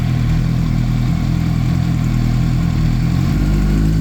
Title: Yamaha R1 strange engine noise